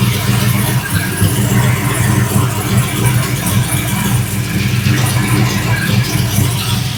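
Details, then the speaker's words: 5.3 LS-swapped Dodge Dakota warming up after fitting a Motion Raceworks 92mm ICON throttle body and TPS auto-set; owner thinks the IAC was leaking; smooth, even V8 idle, no hiss or whistle, earlier noise gone; normal idle. "all right running pretty good running really good actually I think that that may have been a big problem"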